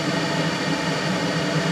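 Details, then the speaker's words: Hydrotherm boiler (mid-1970s) burner fired with flame guard and covers removed: steady roar with low rumble and airy rush, louder than normal because extra combustion air gets in through the open covers. "obviously cuz all the covers are off too much air is getting in there but that's it so that's all the noise that this ends up making"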